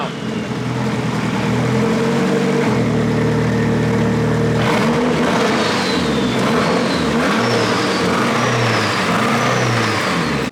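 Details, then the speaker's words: Nissan S15 SR20 engine after debris was found in it, revving hard: deep metallic knock coming and going under the roar as revs rise; judged bottom-end rod knock, not the head. "That's that rod does knock. not sound good. That's bottom end, for sure. That ain't head."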